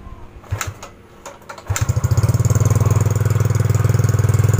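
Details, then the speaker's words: Yamaha Mio GT scooter: starts and settles into fast busy idle, firm even pulses about four per second; idle speed set too high, rear wheel creeps, before idle screw adjustment. "katanya guys di putaran Hai stasioner nya pada langsam dia terlalu tinggi Jadi kurang enak dengar suaranya gas"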